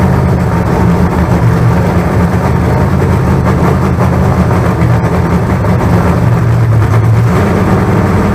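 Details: Fresh 388 small-block Chevy (heads and intake from the owner's ailing 406, crew-cab Chevelle) during break-in, throttle held up: deep, steady V8 rumble at fast idle, even, no knocks or misses; about 80 psi oil pressure, no leaks. Normal break-in.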